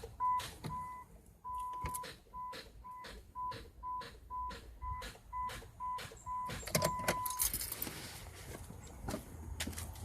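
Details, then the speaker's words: 2008 Chrysler Town & Country Touring won't start: turning the key gives sharp clicks in a loose string between door chimes, engine never turns over; no-crank click, cause not yet found. "it's just when we turn the key it's just giving that click"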